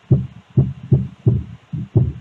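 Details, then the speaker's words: Speaker box after repair and resoldering: clean deep bass thumps about every 0.4 seconds with no buzz or cabinet rattle; the earlier loud strange noise is gone. "já dá para ver que aquele barulhão que tava fazendo não tá mais"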